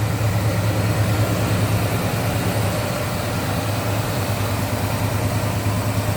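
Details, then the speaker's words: 1972 Chevrolet C10 Cheyenne 350 Chevy V8 with headers and Turbo 350 automatic, hood open; deep, even idle with steady low burble, no knocks or misses, runs smoothly; normal idle. "guessing the clutches that are compressed may be rebuilt and hear how smooth it runs there you go"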